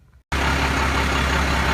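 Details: 1992 Dodge with Cummins diesel, suspected rod knock that proved to be loose bolts under the inspection cover, now tightened; steady, even idle with a smooth low rumble and no bottom-end knock; normal idle.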